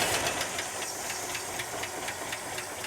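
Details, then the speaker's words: Barn-find 1971 Ford F350 Crew Cab V8 on first start after sitting, primed carburetor fuel supply, distributor left loose, timing possibly off: loud sharp tick about four per second over rough lumpy idle, not exhaust; owner suspects lifter or rod. "Now, there's a major tick in the engine. I hear that. That's not exhaust. That's a lifter or a rod or something, but it's running."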